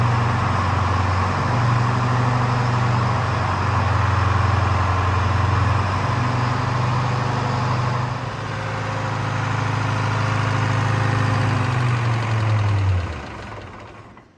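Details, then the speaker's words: Rare Wagner W4 loader with a Detroit Diesel 4-53 two-stroke engine, running after being revived: steady, even low drone holding a constant speed for about thirteen seconds, then winding down cleanly; healthy idle. "Yeah, so we've done what we've done. It works."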